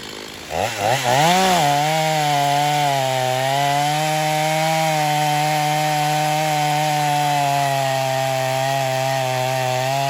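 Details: Stihl MS250 chainsaw after carb tuning, test cut: a few quick revs, then a strong steady high buzz holding speed through the cut with a slightly burbly rich edge. Tuned rich for break-in; pulls well, though compression is possibly a little low.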